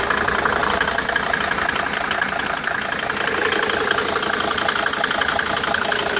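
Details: Mercedes W202 with OM605 turbo diesel idling: steady knock about three per second over the clatter; strange engine noise, source not pinned down. Engine knocking noise.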